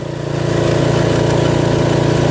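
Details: Toro Wheel Horse 825 riding mower, Briggs 8HP, after new battery, carburetor replacement and throttle linkage fix, riding at full throttle: strong steady pulsing drone, no misses or surging; engine runs cleanly, no smoke.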